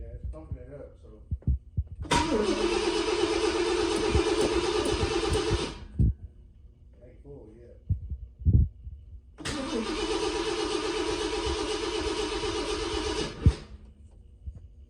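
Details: 1966 Ford Thunderbird after coolant system refurbishment, new plugs, wires and coil pack, fuel filter filling: two long cranking bursts of several seconds with steady starter whir before it catches; slow start, fuel delivery suspected.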